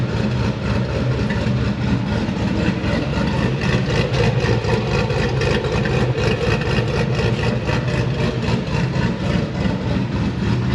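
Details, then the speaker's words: LS V8-swapped GQ Patrol with 6L80e transmission on the dyno: lumpy V8 idle with a steady puffing tick on every beat, like a small exhaust leak, because the added exhaust cutout's butterflies don't fully shut. "And that's why it sort of sounds like there is a little bit of an exhaust leak all the time. It's just because the butterflies on the cutout don't completely shut."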